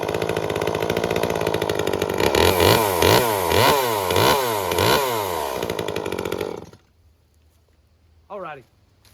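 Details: Echo CS-355 two-stroke chainsaw after cleaning clogged screens, with the limiter cap removed and the rich carb leaned. Revs in quick, clean bursts, settles to a steady idle, then shuts off; runs smoothly after retuning.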